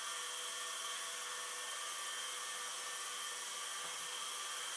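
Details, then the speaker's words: Hard drive restarted, red light off: steady high whine with thin rough edge at constant pitch; owner says not happy but not terrible, wonders if a drop of oil on the spindle would help; rough spindle noise. "The drive is spinning. It doesn't sound particularly happy, but, you know, it doesn't also sound particularly terrible either."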